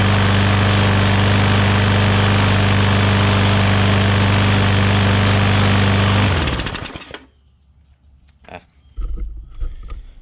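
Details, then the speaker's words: Newer Briggs & Stratton push mower that had water inside, running after priming with gas and a dirty air filter. Single cylinder with a fast, even beat for six seconds, then shut off and coasting down. Normal running. "Little dead man holder fell off, but you guys can see that fired up immediately."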